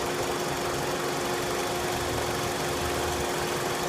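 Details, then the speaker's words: 2004 Dodge Stratus 2.4L, P0300 random misfire occurring only under load in gear: rough idle whose beat keeps dropping out, while a scope on the number four secondary plug wire shows the misfire; that wire was then inspected for the fault. "see how it just keeps dropping out there it is there it is there's a misfire right there dropping out"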